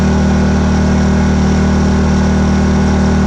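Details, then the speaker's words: Predator 2000 W inverter generator now starting after oil topped up to filler threads; loud steady even drone; running normally. "So see, that backed off quite a bit, and it's running fairly quiet. I mean, it's actually it does run pretty quiet."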